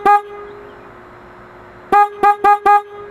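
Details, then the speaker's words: Toyota Tacoma horn filmed up close in a parking lot on a very cold day. The owner says it misbehaves only when cold, but here it gives one clean honk and four quick toots on a steady mid-pitched tone, sounding normal. "that is the horn right there let's just do an up close shot perfect is that the one yeah that's the horn right there perfect but now it sounds normal"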